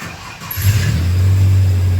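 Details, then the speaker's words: 2004 Ford Ranger 3.0L after fuel pump replacement: fuel pressure 65–68 psi running (was ~10 psi key-on before, when it cranked and stumbled without starting); now catches almost immediately after brief crank and holds firm, even idle. "And this thing sounds like it's running pretty darn good."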